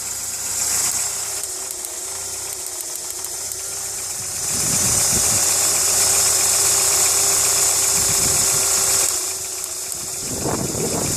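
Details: VW Polo 6N2 petrol idling: light regular ticking about three per second over a hissy running sound; cause unknown, owner also has starter motor trouble (tapped with hammer) and airbag light on.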